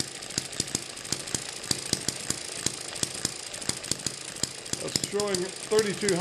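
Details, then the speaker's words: Eachine ET7 (same as M94) model hit-and-miss engine on its original governor springs, running about 1600 rpm: fast steady string of sharp pops with no coasting gaps, springs too stiff so it runs too fast and never misses. "divide that by two so this is running about 1600 rpm with the original springs"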